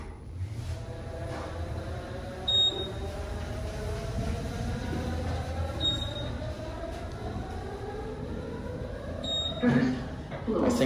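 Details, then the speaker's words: Otis Gen 2 traction elevator, Thunderbird building at Cabana Bay Beach Resort, poorly maintained: smooth motor hum rising and falling as car travels, then brief odd rumble; rider suspects counterweight noise, phantom hall call noted. "what was that sound it's a phantom caller jesus this elevator sounds like one of those thunderbird planes"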